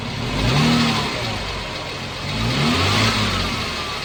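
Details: 2014 Jeep Wrangler 3.6 Pentastar revved up and settling twice; a light, not crisp tick rides over the revs; owner asks whether it is rocker arm or valve tick, origin unclear.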